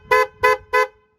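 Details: 2000 Toyota Avalon, 322,000 miles, after replacing the low and high horns, mounted pointing down to keep water out: final test. Three clean, strong honks with both tones sounding together and no rasp or dropout; horns working properly.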